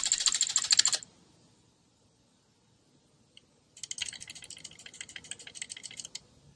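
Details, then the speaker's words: Renault/Dacia TCe 1.0 (H4D) turbo at the rear of the engine: quick bursts of light, tinny metallic clicking as the wastegate rod moves rapidly, caused by excessive play in the rod shaft of the original turbo; heard at startup and on deceleration. "We see that there is more play in the original turbo. There is excessive play in the rod shaft. We can hear this noise when the opening and closing movements are rapid and repetitive during operation."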